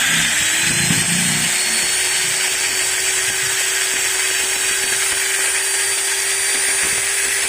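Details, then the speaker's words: Maktec MT90 angle grinder after bevel (pineapple) gear replacement, running at constant speed: a steady high whine with a faint rough edge from the new gears bedding in; it is otherwise normal and should smooth out with use. "Nah bisa kalian dengar sendiri kan suaranya ada ngetop di bagian ujungnya [Musik] Hai Nah suaranya seperti itu guys tapi jangan khawatir Nanti studi pakai beberapa kali juga ini suaranya akan halus"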